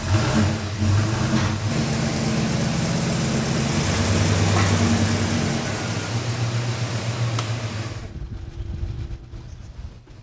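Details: Old Holden ute with a six-cylinder engine, a reliable work vehicle awaiting eventual restoration: the engine settles into an even, steady idle with a smooth low rumble and no knocks or misses, then shuts off; it sounds healthy.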